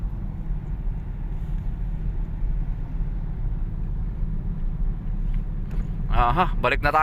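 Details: Toyota Vios at only 15 km/h: steady low humming drone while driving, suspected from the wheels/hub bearing, cause not confirmed.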